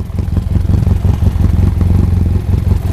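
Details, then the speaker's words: BMW F800GS twin, just warmed up, mic by exhaust: uneven lumpy stumbling idle; lean misfire caused by a faulty vacuum hose. "It's got quite a rough idle."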